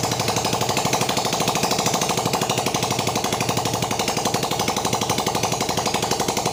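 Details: Yamaha Vega ZR that emitted white smoke from oil burning, after honing scored cylinder wall and piston, run without exhaust to check smoke: sharp, even popping about four beats a second at idle, rhythm steady and healthy; normal idle.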